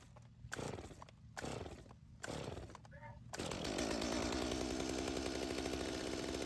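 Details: Stihl chainsaw on mixed fuel, chain brake on, pulled on half choke after first firing on full choke: a few rope pulls, then it catches and settles into a steady, high buzzing idle; a clean cold start.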